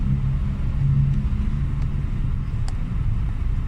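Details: Hyundai Getz petrol engine after intake manifold cleaning for high, unstable idle and hard starting: deep steady rumble idling smoothly at 826 rpm with A/C on; normal idle, sounds healthy.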